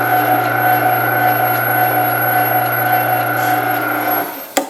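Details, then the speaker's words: Meat Your Maker 1 HP meat grinder, new, grinding without the plunger: smooth even motor hum holding constant under load, then winding down cleanly; healthy running. "It's grabbing and it's pushing them through. I didn't have to use the plunger at all."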